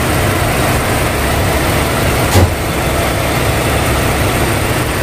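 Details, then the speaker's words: Nissan X-Trail T30 after replacing faulty alternator pulley and bearing (6203) that caused tek-tek ticking near tensioner: even, steady idle with no ticking, knocking or whine, one brief bump; runs smoothly. "Oke Guys sudah selesai halus halus"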